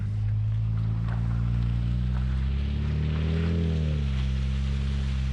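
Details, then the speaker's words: BMW turbo with straight-pipe exhaust in drive, after replacing failed Flowtech Raptor mufflers and fixing the heat shield install: deep steady drone, pitch briefly rising and settling, no rattle or buzz. Rattle fixed. "no rattle whatsoever"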